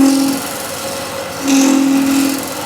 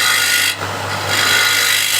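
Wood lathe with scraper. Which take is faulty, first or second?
first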